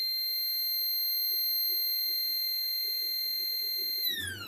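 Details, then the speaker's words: Stepper motor on SMCU-4 ethernet CNC drive, jog at 2500 rpm per tachometer: clean steady high-pitched whine at one pitch, sliding down as motor stops; healthy normal operation. "definitely hear a tone difference there you go 2500 let it adjust there it goes 2500 rpm"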